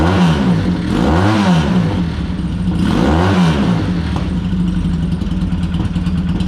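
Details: Used older motorcycle: idling and blipping with a faint uneven exhaust pop, slightly ragged; carbs suspected to need a thorough clean and readjustment.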